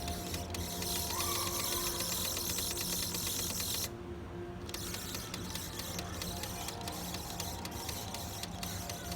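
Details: PS5 disc drive after installing Ghost of Tsushima: fast, repeating ratcheting clicks while the disc stays stuck. This happens with all physical games, and eject sometimes works just after a power cycle: drive mechanism grinding, won't eject.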